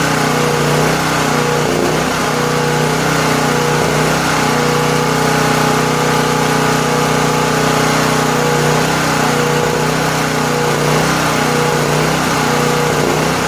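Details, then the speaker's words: Late-1980s Honda EG2500 generator stored 4–5 years, linkage sprayed with penetrant, restarted with choke: engine hunts at idle, note sagging and recovering every few seconds; stopped to check float bowl, which held ample fuel, so fuel level now doubted as cause. "So I stopped it there to see what fuel's in the fuel bowl when that began its thing there."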